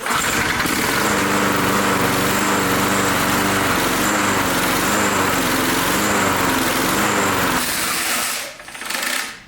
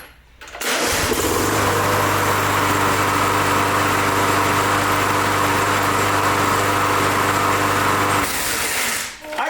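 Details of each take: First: Briggs Touch-N-Mow mower with gas tank removed: buzzes at an even, fast beat for about eight seconds, then fades and dies, running out of gas; won't restart. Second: 22-year-old Briggs Touch-N-Mow mower, button pushed again after the spring rewound: catches at once and settles into an even, steady buzz for about eight seconds before shutting off; clean, healthy start.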